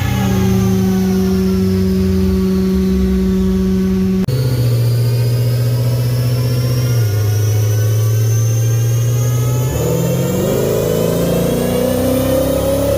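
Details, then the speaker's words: Car on a dyno pull during Holley EFI tuning; steady engine drone under load sags in pitch twice and barely climbs, air-fuel going lean with no apparent pattern: stumble under load, cause not confirmed. "well in that last video um of the dino pool you can actually hear the car not wanting to do anything I get on it airfields are going lean and and it just changes"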